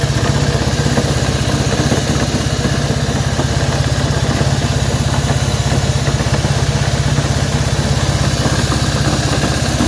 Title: RUIDO EN EL MOTOR DE LA HONDA CB190R